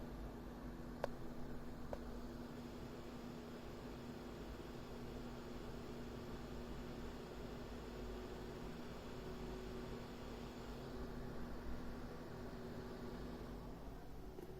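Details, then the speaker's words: AMD RX 7600 graphics card in a GPU stress test at default settings, 98% load and 181 W: fans rise from about 1300 to 2500 rpm at 85–92°C, giving a steady loud airy whoosh with no rattle; normal under load. "let's see if you can hear the defense spinning faster it is louder now"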